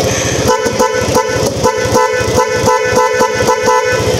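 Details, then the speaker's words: Both new cheap Shopee replacement horns (dual-horn setup) installed and tested: loud, steady two-tone honks in quick repeated bursts, clear pitch without rasp or dropout; horn healthy. "na. Pwede na. Para sa 114, pwede na yan."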